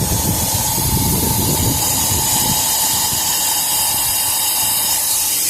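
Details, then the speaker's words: Isuzu NPR/NRR cab-over truck with 5.2 diesel, turbo loss-of-boost check engine light, derate and a whoosh under boost; engine off, charge air cooler pressure test kit gives a sharp hiss at the intake pipe flange; gasket leak. "Right where the intake pipe goes in. I don't know if you can see that or not, but right there, all along that flange, it's leaking."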